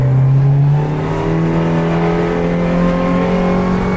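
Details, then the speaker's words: 2018 Alumaweld Stryker 18 aluminium boat, Mercury 60HP outboard, 170 hours: strong even drone rising slightly in pitch at full throttle from standstill, trimming up, speed climbing to 28 mph; healthy. "There's our speed climbing 17 21 trimming up. We got 28 m an hour. Moving right along."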